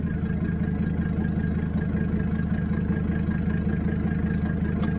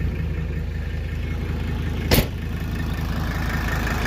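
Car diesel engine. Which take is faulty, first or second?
first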